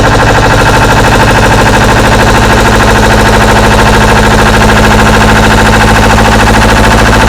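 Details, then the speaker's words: Deutz 1011 two-cylinder diesel driving an air compressor: lopes unevenly with hard, irregular chuffing knock about two to three per second; running rough, owner suspects a sticking valve, exhaust temperatures per cylinder to be checked. "something is absolutely Haywire"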